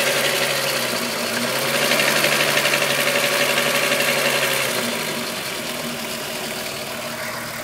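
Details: VW Golf VR6 2.9, 103,000 km, at idle: quick, fairly even hissy rattling rub about four times a second. Long-standing chain-rubbing noise grew louder after the upper hydraulic tensioner screw was replaced; cause unconfirmed.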